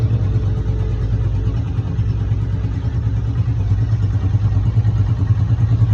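Motorcycle running at a steady speed with a loose, uneven rattle over the engine beat, pointing to a noisy clutch.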